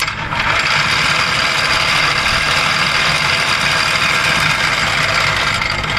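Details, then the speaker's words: Lagun F 1250 milling machine gearbox run briefly for demonstration with gears shifted by fork to high speed: loud steady gear whir with hissy mesh sound, even throughout; gearbox turning normally in high gear. "then there we are going to achieve a high speed when we turn it on"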